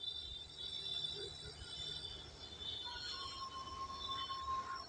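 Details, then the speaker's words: Whirlpool Vita Magic refrigerator, cooling works and condenser is warm, but the compressor gives a steady piercing high-pitched squeal over a faint hum; compressor judged faulty and to be replaced under warranty. "इसमें एक problem है compressor में आवाज आ र है"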